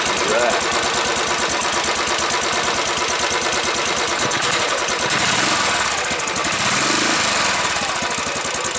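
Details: Single-cylinder motorcycle with a brand-new crate engine (including throttle body, injector and starter), started at the dealership: it catches and settles into a steady thumping idle under crowd noise. It runs evenly with no knocking.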